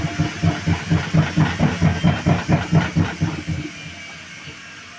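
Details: Washing machine on spin: heavy rhythmic thumps, about two per second, pounding through the cabinet; knocking so violent the cycle had to be stopped.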